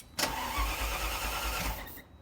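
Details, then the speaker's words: 1987 Ferrari Mondial 3.2, cold start: steady cranking thumps about five a second for two seconds, slow to fire; meter showed some voltage but not 12 V, so thermo-time switch suspected of not energizing the cold start injector. "as you saw there when she started the motor i did get some voltage but i didn't get 12 volts that might suggest that the the cold start uh the um i'm sorry the thermal time switch yeah it's giving some power but not enough power to to energize the the cold start injector"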